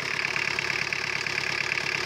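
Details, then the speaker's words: 1985 Ford with a swapped-in diesel engine, some thousand miles on it, idling: steady, even diesel clatter with a faint ticking noise on top; a component is making noise, source unclear. "this is a 1985 Ford S 4 diesel with an 80s or with a Vegas like 189 diesel engine model or style in it they was put in it a long time ago party some thousand miles on it and listen to her other than making some noise from this thing you can hear this making some noise other than that amazing oh"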